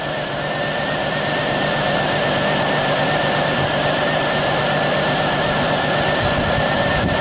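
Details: 2000 Pontiac Bonneville at idle with an uneven, stumbling exhaust beat, a misfire on cylinder 3; coil pack swap didn't cure it, owner suspects the ignition module, an injector or a plug, not confirmed.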